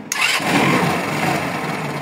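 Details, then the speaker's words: Cold engine fires first try and settles into a steady, even idle with no misses or clatter, tested on a freshly charged battery after spliced wiring repair with double heat-shrink; cold so not revving high, normal start and idle. "Ahí como vemos está fría, o sea, no se escucha tan revolucionada."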